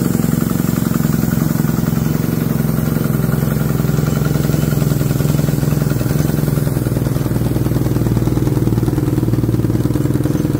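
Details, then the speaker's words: Harbor Freight Predator generator that starts but runs poorly: dull, uneven chug, no power, choking out; cause is a carbon-clogged spark arrester blocking the exhaust, with an air or whistle noise from the exhaust at shutdown. "it does start and it does run but it runs funny it's running like it's just got no power and like it's choking out"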